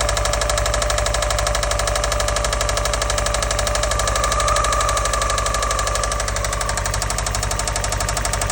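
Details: 2004 Subaru WRX with original EJ205 engine, parked and warm, idling with a steady knock about twice a second that worsened over about 36 hours; first thought to be an exhaust manifold leak, timing tensioner ruled out.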